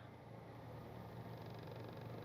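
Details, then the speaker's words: Car idling in neutral with a steady low rumble and an uneven shaking throb, with the engine jumping. The vibration is suppressed when the engine is revved or loaded, pointing to a worn engine mount. "ஆனால் வண்டியை நான் நியூட்ரலில் போட்டு நிப்பாட்டினேன்னா கிட்டு கிட்டு கிட்டு கிட்டு கிட்டு கிட்டு கிட்டு கிட்டுன்னு குதிக்குது."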